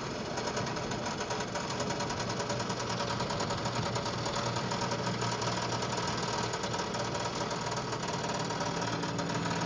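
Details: 1995 Toyota 4Runner 3VZE engine while driving: rapid even heavy knock from the bottom end throughout; owner suspects rod bearing, unconfirmed.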